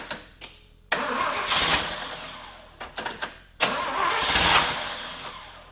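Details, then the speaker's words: 1950 Willys Jeepster, Chevy 194 inline six with a Rochester B carburetor, after new spark plug wires (old ~100,000 ohms, new ~7,500) with the same points and condenser: two long cranking bursts with weak pops that never catch. Still hard starting. "Give it a little choke. Timing. Come on. not too happy about something still."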